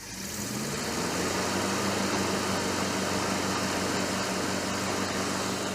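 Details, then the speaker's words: 1969 Chevrolet Suburban with junkyard big-block, ballast resistor in the coil circuit: engine catches straight away and settles into a steady, even run with no misfire or stumble; healthy after the ignition fix, good oil pressure. "Ah, it's so nice to hear it running great again right now."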